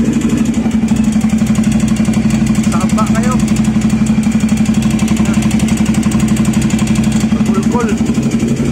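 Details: Ducati Monster 797 (800 cc twin) idling: even, sharp tick about four times a second over the engine note; engine knocking, source not pinned down.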